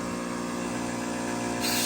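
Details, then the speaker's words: Fluoromizer 3500 recovery compressor under a load test with the high side blocked off, building about 200 pressure at a reading of "460" amps: smooth, steady motor hum, then a hiss builds; healthy, normal running. "And yeah, it'll build pressure, man. Amps 460. It'll build 200. Well, that's fine. That's a little bit of a load test on it."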